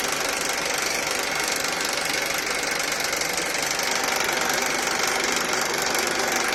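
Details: Honda Accord K24 engine at idle: a fast metallic rattle of about three ticks a second over the engine, a top-end rattle; cause not yet pinned down.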